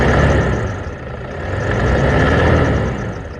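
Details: Toyota Hilux at idle after greasing a belt-drive idler pulley bearing: thin continuous high squeal over a steady idle; dry idler pulley bearing squeak.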